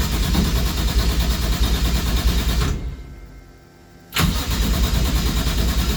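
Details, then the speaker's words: Toyota 1JZ swapped into a Nova, first real startup after new fuel lines and Walbro 255 pump: runs rough, cuts out over a second, catches and idles again; owner suspects insufficient fuel flow, possibly fouled plugs from earlier test fire. "what's going on all right we had a brief hiccup there I think I just needed to kind of build some some more fuel flow through everything but we're gonna try this again"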